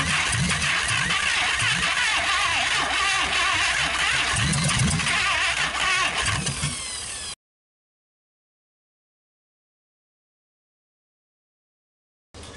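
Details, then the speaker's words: 1956 Packard 374, formerly stuck, first run in years, burning off oil: rough-edged but steady firing pulses about four per second, catching and holding after start; normal running. "okay she runs she's burning some all off"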